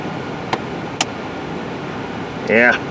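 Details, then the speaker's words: 2011 Chevrolet Equinox with an intermittent battery draw, HVAC doors run to extremes: two sharp plastic clicks half a second apart behind the dash when swung to hot; blend (hot/cold) door actuator skipping, sounds like plastic about to break. "yeah see i just heard some clicking there let's see let's put her on the foot let's go back to hot yeah a little bit of clicking on the hot cold door"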